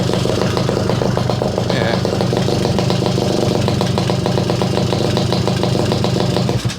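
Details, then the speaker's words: Garelli SSXL moped two-stroke on the stand, rough-set timing, brand new motor: busy, even putter that holds steady and revs freely a lot higher with no stumble or clatter; clutch not dragging, rear wheel still at idle. "but on the stand idle's working good the clutch isn't dragging at all back wheel's not moving at idle so that's pretty good and it's free revving a lot higher"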